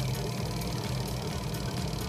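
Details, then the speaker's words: Automatic washing machine converted to manual timer after module failure, spin motor wired to the yellow capacitor: steady low motor hum with even drone, no knocks or scraping; spin drum turns normally, wiring correct. "Nah untuk Spin pengering Nah kayak gini kalau Spin pengering di blog ini berputar semua ya"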